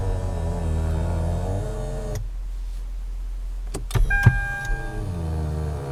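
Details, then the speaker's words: 2007 Lexus ES350 power telescoping steering column moving as vehicle starts/shuts off: low droning groaning/mooing moan from column motor, pausing then resuming; defect the manufacturer calls normal operation. "As you can hear, this makes a strange noise, which the manufacturer calls a normal operating characteristic of the vehicle."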